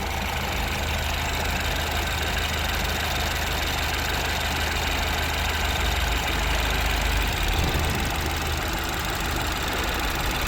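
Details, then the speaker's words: Citroen DS3 with a performance induction kit fitted and the MAP sensor refitted correctly, cold start: steady, even idle with a constant low drone and no juddering or lumpiness; normal idle. "okay it's calmed down oh it's not running Lumpy and that sounded good"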